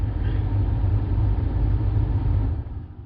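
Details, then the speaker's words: 2009 Buick LaCrosse blower motor commanded on via Xtool D8 scan tool active test, key on; steady low hum and even air rush, no rattle or squeal, easing off at end; normal blower motor operation. "you got your blower motor in fact again we're gonna go ahead and hit blower motor this should be something that you should be able to hear i think we're going to turn it on hopefully you can hear that"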